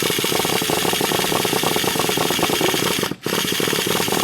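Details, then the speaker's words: Traxxas T-Maxx 3.3 nitro RC truck: fast, raspy buzzing whir with the engine not catching, as the starter's brand-new one-way bearing slips again; to be replaced. "Yeah, it's one-way slipping again. We're going to put a new one in."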